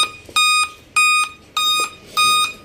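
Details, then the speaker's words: Dell Inspiron 3567 laptop at power-on with display working: five clear high-pitched beeps, each about a third of a second, repeating evenly every 0.6 s; startup beep error code. "आप यह ऐसे ही beep लगातार sound इसकी ए रही है display भी इसका ए रहा है बिल्कुल ओके चल रहा है लेकिन ये बीप की साउंड जो है ये ए रही है"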